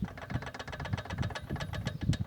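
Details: Peugeot 206 1.0 16-valve at idle: quick sharp tapping, eight to ten a second, seeming to come from the top end but actually loose connecting rods from worn rod bearings: rod knock.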